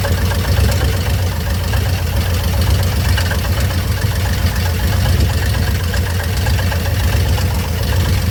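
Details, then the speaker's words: 1958 Chevrolet Bel Air rebuilt engine at idle, warming up after cooldown, rear wheels jacked up: steady idle with a fast faint ticking clatter up front. Noise remains with the belt off, so not the water pump; owner suspects something behind the timing cover. "She makes some noises up front. I don't know what it is. I pulled that belt off and started it, and it still made it. So it's not the water pump or nothing. Thinking it's something behind that timing cover."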